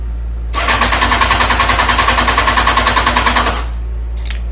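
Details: 2001 Honda CBR929, ridden all week, now won't start: fast, even starter churn for about three seconds without catching. It cranks but doesn't start.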